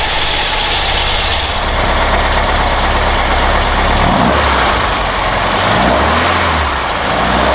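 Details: Porsche 912, Dellorto DRLA carburettors with update kit: engine revs up and settles smoothly with a steady even note, no misses, pops or knocks, revved to check generator output.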